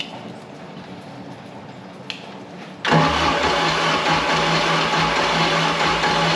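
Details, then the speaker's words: Mercruiser 3.0L, previously very stuck, started after flooding: catches and runs with an uneven, loping beat and puffing exhaust, down on a cylinder; owner suspects a manifold leak, head condition uncertain. "sounds like a little bit of a manifold leak I don't know why definitely down on a cylinder"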